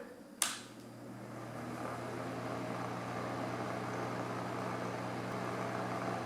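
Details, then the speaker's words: Honeywell table fan used for sleeping, before repair: it spins up with a steady low hum and a faint rough rattle that eases slightly when tipped. Carpet fibers, dust or dirt suspected. "this a little hum or rattle in it let's tip it up see if that goes away I can feel it too the rattle goes away a little bit but it still sounds a little rough"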